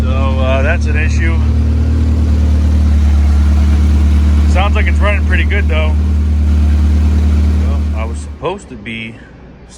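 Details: Honda EF Civic build started in neutral while bleeding the cooling system: steady, even idle with low rumble, no knocks or misses, running clean just after starting; tach not working.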